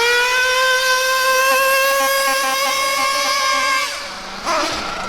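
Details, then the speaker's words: Mac 28 nitro engine in a bio Hyper 7 RC car at full throttle in cold weather: clean, steady high-pitched scream before easing off; high-speed needle setting judged good, slightly rich. "so for me that there is what I would consider to be a good maybe slightly rich but that's good in this cold weather that's what I consider to be a good highp speed setting"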